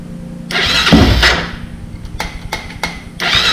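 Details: Honda 400EX first start after top-end rebuild with valves adjusted and a blown 15 A fuse replaced, fuel on; single-cylinder cranks briefly, catches with sharp barks and a few blips, then runs cleanly.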